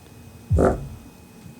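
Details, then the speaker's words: Subwoofer playing music: each bass hit comes out as a buzzy, croaking rattle or knock instead of a clean thump; paper cone split around the edge, repaired with glue. "but you can hear the rattle in there so that's what's wrong with it"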